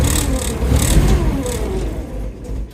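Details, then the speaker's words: Toyota 3K forklift with 4Y propane engine, previously said to be seized, first start attempt with a hair of throttle: rough, uneven run that sags and dies within about three seconds; runs but stalls, propane adjustment unknown. "It actually will run, but it stalls out."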